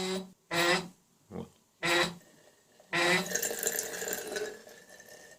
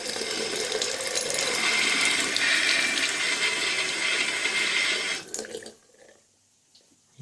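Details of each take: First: Household water tap, on opening: short loud tonal honks like a ship's horn, then rushing water with steady tone; tap also seeps water; worn/loose ceramic cartridge (kran-buksa) discs. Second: Household faucet after cartridge (kran-buksa) repair, previously humming and seeping: smooth, even hiss of running water with no hum or drone underneath, and no more seeping; running quietly and normally.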